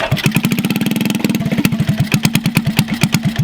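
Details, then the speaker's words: Garage-find Honda CT70 mini bike, first start after sitting for years: loud, raw, crackly single-cylinder thumping at about ten beats a second, sounding underwater, from the rusted exhaust pipe rotted in half; fuel/air leak at carb also suspected. "all right well it is a runner so I'm excited about that it sounds like it's underwater with that pipe might just try and cut something today cut it off find another exhaust and we'll weld in"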